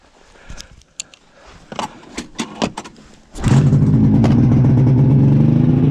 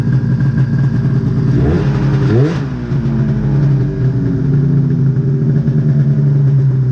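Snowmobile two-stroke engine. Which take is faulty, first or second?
first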